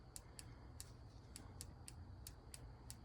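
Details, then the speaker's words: Ford 302 fuel injector from a Bronco, removed for cleaning to cure a hit-and-miss idle, bench-tested with direct power: crisp, sharp clicks about three per second over a low hum, each firm and even; injector solenoid actuating normally. "That spark tells me that this is drawing current. The click tells me that it's functioning, it's actuating the solenoid inside the relay."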